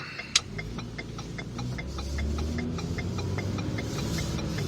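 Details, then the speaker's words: 2011 Ford Fusion Sport driving after front strut replacement, which fixed creaking in the steering: only low, even road hum and faint light ticking while turning, with no creak or groan. Steering is quieter and less binding. "we are going for a stroll through the neighborhood with the new struts on the steering is way more giving it's not as binding as is as it was before extremely quiet listen for it"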